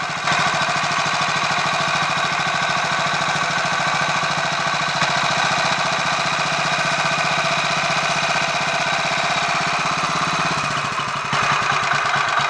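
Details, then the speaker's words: Royal Enfield 500 Machismo electric-start single, reassembled after fixing starter noise, now with 20W-50 oil replacing ATF in the starter sprag/freewheel area, cold on choke: fast steady chuffing idle with mild whirr beneath, no knocks or grinding; much better, normal idle. "I think that's a lot better obviously there's still a woring noise I mean you're going to get some degree of noise in a setup like that"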